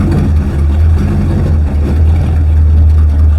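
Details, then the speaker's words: 1934 Dodge hotrod with a 1953 Ford flathead V8, 5-speed manual and 4.11 gears, clutch just freed, moved slowly with no brakes: deep steady even rumble, no stumbles or knocks, no smoke puff this time; normal running. "That thing sounds good, don't it? Didn't have a big puff of smoke out of it this time either, did it?"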